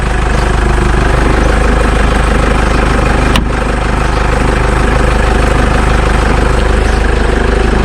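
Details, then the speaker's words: Jeep Wrangler JK 2.8 CRD diesel idling just after an oil service and fresh oil fill, door open; steady even diesel clatter with no knocks or misses, sounding much better than before the service: a normal diesel idle. "I certainly sounds much better than it did that's pretty good"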